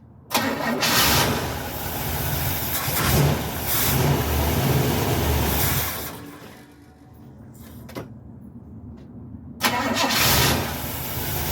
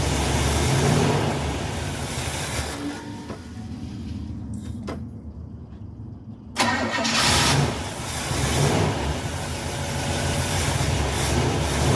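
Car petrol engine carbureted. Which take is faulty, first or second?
first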